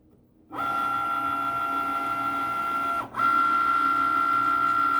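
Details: Cricut Maker not cutting or writing properly, failing calibration (sensor can't detect lines), carriage off center: steady motor whine with brief interruption and faint repeated carriage clicking; cutting stopped at 63%.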